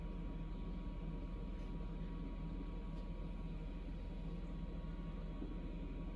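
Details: Samsung Eco Bubble WD106UHSAWQ washer-dryer drying a blanket on the 2-hour timed dry cycle, with the panel stuck showing 1 minute remaining: quiet steady low hum, soft rhythmic tumble, faint constant tone; normal drying cycle.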